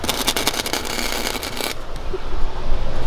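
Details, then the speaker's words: MIG welding the transmission tunnel of a Hellcat Charger during a 6-speed manual swap: sharp, fast, even crackle like frying bacon for nearly two seconds, then it stops; a steady, well-set weld. "Listen to this welder, guys. Everyone was talking about he wasn't frying bacon. He's frying bacon now."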